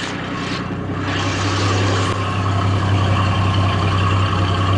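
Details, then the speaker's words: 1989 Jaguar XJS V12, slightly warm, idling about 500 rpm and hunting ±100 rpm, recorded from outside after distributor overhaul (seized centrifugal advance) and hose replacement; rough, lumpy low idle with gurgling, possible air leak at front; owner unsure of timing. "so it's sitting at about 500 rpm and it's jumping up and down about 100 rpm up and down up and down"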